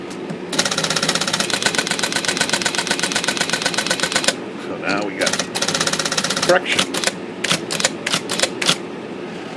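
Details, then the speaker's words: IBM Selectric II rotary correction backspace after primary adjustment moved under the platform: rapid crisp clatter about four per second, even bursts, cycling freely without stalling; normal correction backspace. "so when it powers on it back spaces all right right that's the uh primary adjustment for backs space on rot rotary uh backspace models"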